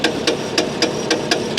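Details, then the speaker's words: Auction car at idle after jump start: sharp metallic clacks about four a second, steady; harmonic balancer ring on the crank pulley has come detached; engine refires, owner thinks compression may be low. "it's the balancer on the crank pulley that's doing that the balancer on the crank pulley has come detached and uh and that's what's making that noise"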